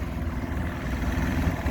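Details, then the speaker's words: 1995 Evinrude 112 SPL outboard in gear on the water after new plugs and plug wires: low, lumpy, uneven rumble, sounds like running on only a couple of cylinders; spark present on all, low idle, no top speed; cause unknown. "almost sounds like it's only running on a couple cylinders"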